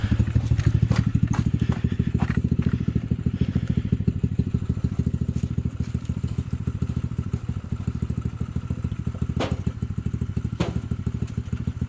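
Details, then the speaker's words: T-Rex go-kart after crash repair, A-frames realigned, test drive with lower shock bolt missing: small engine chugs steadily with occasional sharp thumps as the loose shock bangs. "The shock hooked up, so that's a banging noise."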